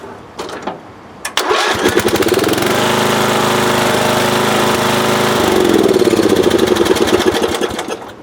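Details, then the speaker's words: Lawn tractor from about 1982–83 that wouldn't restart when hot, after a new ignition coil was fitted and the engine had cooled slightly. A brief crank catches at once and settles to a steady single-cylinder run, a normal start. "so if you're having trouble starting after it heats up on you there you go 12 bucks gets up new coil"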